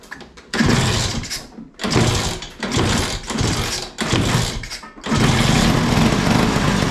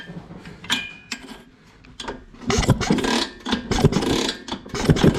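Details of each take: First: LML/Vespa hybrid two-stroke scooter, first start, kick-started after fuel and easy start: several throttle blips then steady even two-stroke buzz, no misfire or knock; running normally. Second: Vespa/LML hybrid scooter project, kick-start spark test with the ignition wires reconnected by guesswork: irregular kick-start strokes about once a second turn the engine over, but it never fires; no spark even after changing the plug, pointing to a faulty ignition coil/CDI.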